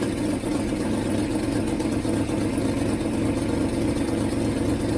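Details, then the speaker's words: 1967 Ford Mustang 390 V8 just reassembled: steady idle with raspy puffing chuff over the exhaust note from a huge exhaust leak; otherwise didn't sound too bad, owner suspects vacuum leak, one plug wire found off. "Okay. Well, that's actually except for the the huge exhaust leak, that actually didn't sound too bad."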